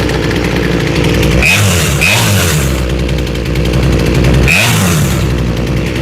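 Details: Small chainsaw with a freshly rebuilt carb after high and low screw tuning by ear: steady two-stroke burble at low speed with an even beat and no surging or dying; it idles cleanly with the chain not moving.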